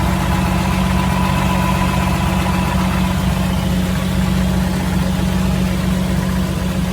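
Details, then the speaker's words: 1984 Jeep CJ7, frame-off restored: starts easily into a smooth, even low idle with steady beat and no ticks, knocks or stumbles; healthy normal idle. "All right, let's start it up and see how she sounds. She starts very nice and easy."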